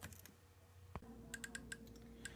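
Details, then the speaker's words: Solar D770 low-profile digital metal-gear servo in an RC10T, with no steering input and no tire load. Faint, irregular sharp ticks, about six a second, as the servo hunts to hold position. "okay so this is the solar d770 in my rc10t and you can hear it clicking away that's that's without touching the steering wheel or putting any load on the tires"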